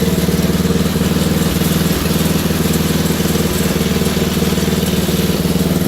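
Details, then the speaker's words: Wheel Horse GT2500 garden tractor single-cylinder engine just restarted: putters about four beats a second, a bit uneven and hunting, running a little off; owner suspects a stuck carburetor float, unconfirmed. Rough running. "I believe it's just a stuck float I'm not sure as you can hear it's running a little off so I might have to rip the carburetor off"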